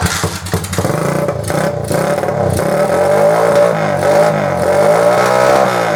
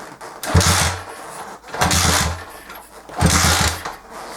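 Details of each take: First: Honda CG125 cafe racer, unstarted for three or four years, after carb cleaning (stale petrol) and new battery: steady single-cylinder beat climbing smoothly in pitch with throttle and dropping back cleanly; runs and revs normally. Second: Honda CG125 cafe racer unstarted for three or four years, stale petrol, carb needing cleaning: repeated cranking bursts with some chuffing but never catching; crank no-start, cause not yet confirmed, spark check next.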